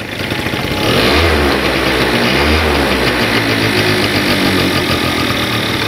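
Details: Pegasus Sky 50 two-stroke scooter after light accident damage, after starter trouble with a bad noise: catches cleanly, settles to even buzzy idle with no starter grinding; healthy start.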